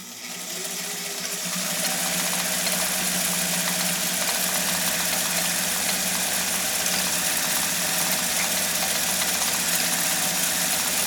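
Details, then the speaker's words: 1958 Viking-engineered Elgin 2468 sewing machine sewing a cam-generated stitch, heard right next to the machine. Steady even whir with fast fine needle ticking, no knocks or grinding: very quiet, normal running. "here right next to the machine, that is about as quiet as you can get for sewing off uh at that stitch level."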